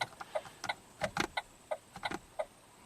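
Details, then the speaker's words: 2008 Saturn Astra with battery at 11.5 V: door locks cycle by themselves with sharp, uneven clicks, about three a second, when the lights are switched on; a relay also clicks; door lock actuators clicking on their own. "you turn the lights on you hear the light the locks going like click click click click click click"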